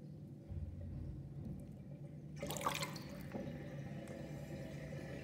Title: Interesting drain with new sinkplug 45.5 mm with plastic ring and whirlpool and gurgling sound